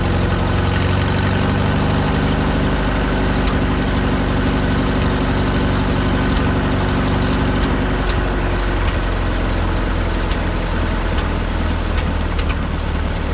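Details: 1951 Farmall M tractor with Autolite 316 spark plugs, idling after about 20 minutes running toward operating temperature: a steady low thump with an occasional skipped beat. Intermittent miss persists; coolant found in the oil pan.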